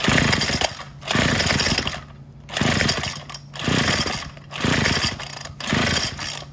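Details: Craftsman WS210 trimmer after a carburetor replacement, with the bulb and diaphragm parts swapped onto the new carb. It revs in short one-second bursts then drops back each time, never holding a clean high rev; won't reach full throttle or idle, cause unclear.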